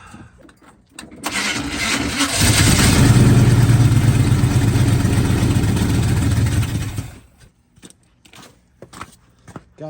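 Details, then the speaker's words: 1980 Chevy K30 squarebody, TH350 automatic, about 15 degrees out, fuel hose not yet replaced, fuel rigged from a can instead of the gas tank: cranks about a second, runs roughly four seconds at fast idle, then dies. "that's sketchy don't use as plan as can as the gas tank yeah runs for like two seconds and then dies"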